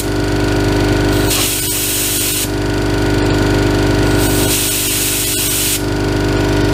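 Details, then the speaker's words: Ingersoll Rand 5 hp single-stage twin-cylinder 60-gal compressor, started with tank at about 50 psi and feeding an air cooler and moisture separator: steady pumping thump, constant motor hum and periodic hissing bursts while filling. Normal running. "tank pressure is about 50 psi so we won't be filling the entire tank it's been turned off so we'll go ahead and turn it on"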